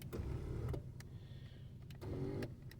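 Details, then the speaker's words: Power seat motor on a 1991 Chrysler New Yorker Fifth Avenue, revived after sitting almost 20 years: faint, even whir in short runs with soft clicks at each stop and start as the seat moves up, down and reclines; all seat controls work normally. "in fact all the seat controls work"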